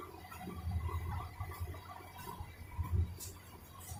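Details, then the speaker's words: 2013 Honda Pilot that stalled while driving cranks with irregular low thumps and pops as the jumped timing belt slaps the front timing cover; possibly low compression and bent valves. "But I want you to hear it, because it is popping and making, not backfiring popping, but it is slapping the cover and making like a thumping noise."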